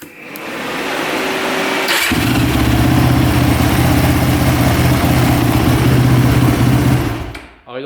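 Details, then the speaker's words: Yamaha 450 quad from a trade: fires instantly and settles into a steady, even idle with no misses or odd noises. Normal start and idle. "so she's running pretty good oh not bad wow"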